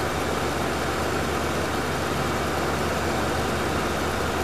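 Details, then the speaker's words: 1973 Mercury Marquis Brougham 460 V8, cold start on fast idle, new fan clutch fitted: strong even rumble at raised idle, no ticks or knocks, smooth and healthy; power steering belt needs tightening; normal fast idle. "let's start it up here it is cold so it'll be on fast idle foreign"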